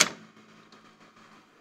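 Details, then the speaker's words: National Panasonic NV-7200 top-loading VHS VCR, generally working: pressing review or cue gives a sharp mechanical click then faint ticks as the extra transport and pinch-roller solenoids pull in; normal solenoid operation. "there when we push the review or cue buttons various solenoids operating and I can see there's Parts moving down there so there's additional solenoids added"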